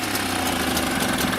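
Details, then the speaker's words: Mobylette X1 small two-stroke after engine rebuild, hard to start, ignition timing checked at about 25° BTDC: at full throttle it putters ragged and uneven, sounds ready to stall, then stalls; rough running near stall. "with the throttle fully open. It's fully open. It still sounds like it's going to stall, and it has."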